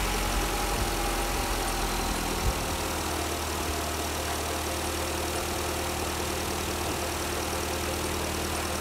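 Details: Jeep Renegade idling after fitting a new battery (12.51 V at rest, charging about 14.5 V, peak CCA 1055 on start): smooth even idle with a steady low hum, no misses, knocks or starter drag; running normally.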